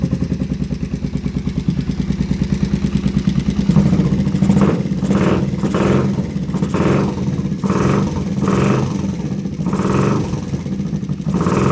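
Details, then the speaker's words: Kawasaki Vulcan 500 motorcycle, first start after cleaning the carburetors and fitting a carb kit, choke pulled: a fast, even clatter rides on the exhaust beat through surging revs. Noisy top end, cause unknown. "go ahead and pull the choke again sounds like we might have terrible top end noise"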